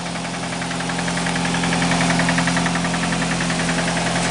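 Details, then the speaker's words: Nissan idling with a steady, heavy knock of about three or four raps a second. Catalytic converter brick debris worked back into the engine and destroyed it internally. "Got a little bit of a knocker here."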